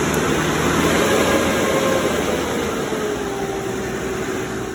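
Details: Cummins 3.3 QSB diesel from a stump grinder, run after rebuild with pistons, rings, rod and main bearings and head gasket (had oil from the blow-by tube), Insight connected: steady, even running, smooth drone, no knocking or ticking. Normal idle.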